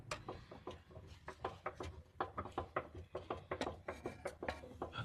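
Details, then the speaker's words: Car steering rack shaken by hand under the chassis: sharp metallic clunks about two or three a second from excess rack play, causing chassis clunking while driving; fixed by adjusting the rack about 1/3 turn clockwise rather than replacing it. "细听，明显有刚当刚当的异响声。这是用手晃动的声音如果车跑起来，车身上有载重，这声音呢肯定不能小了。"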